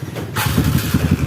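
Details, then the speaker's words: Kawasaki KLX BF, bored up, after replacing starter one-way clutch rollers to fix a slipping, rough electric starter; quick crank, catches and settles into an even, steady idle, starter no longer slipping or harsh: normal electric start. "sip ini sudah jos ya sudah tidak ngelos lagi sudah tidak kasar lagi sudah"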